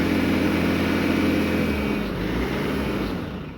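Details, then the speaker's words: Bobcat S550 diesel that bogs and shuts off at full throttle: steady high drone at full throttle, then pitch sags and it labours; injectors 1 and 2 leak badly on a leak-down test and rail pressure cannot be maintained. "Right now it's at 90, you can't really tell. Full throttle. Starts acting up after a bit."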